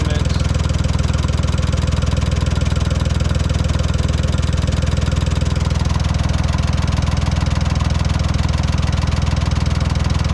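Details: 1968 Ford 4000 diesel tractor after water pump repair, refilled with 50/50 antifreeze, idling to warm up toward about 180 degrees so the thermostat opens: slow, even chug with a steady deep thump, no misses or knocks; normal idle.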